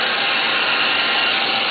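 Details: Electric player piano vacuum pump: steady loud treble hiss of rushing air with no low rumble, sound of the pump drawing heavy leakage.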